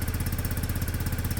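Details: Restored Peugeot Satelis scooter after its first start following the rebuild: a quick, even single-cylinder putter at a steady cold idle on the automatic choke, with no misses or rattles. It doesn't want to rev yet but runs healthy.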